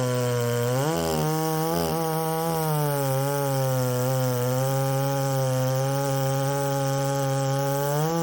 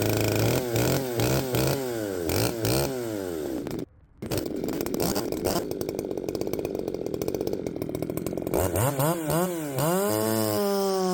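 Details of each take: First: Ported Poulan 3750 chainsaw, warm, on an adapted Chinese carb meant for an Echo 590: blips twice, then a wavering buzz that keeps surging instead of holding steady. It runs erratically when warm and swapping carbs didn't fix it; the owner suspects a cracked case. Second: Poulan 3750 chainsaw fitted with an adapted Chinese carburetor, at the same tune as before; it previously ran erratically when warm. Revs up and down cleanly, brief cut near four seconds, then a steady high run. Normal running.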